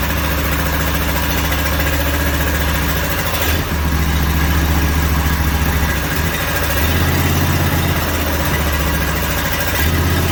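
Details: Briggs & Stratton 18.5 hp V-twin, sat outside for 20 years, first fire on an engine stand with oil left low: loud, rough-edged bark that dips and surges every few seconds; fires and keeps running.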